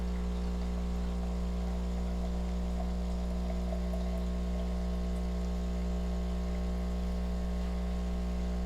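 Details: Philips 5400 LatteGo automatic espresso machine dispensing coffee: low, steady buzzing hum with no surges or rattles. Normal brew pump sound.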